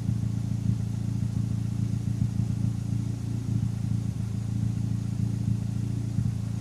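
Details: Turbocharged engine fitted with larger SR20 injectors, at warm idle: low, steady rumble broken by irregular sharp exhaust puffs every second or two; random misfire, owner suspects the injectors.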